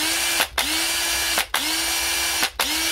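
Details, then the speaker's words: Drill run on an 18 V battery pack with cell imbalance, resting at 19.68 V. Four short bursts, each spinning quickly to a strong steady whine with clean stops between; the drill shows plenty of power. "seems to be giving her plenty of power"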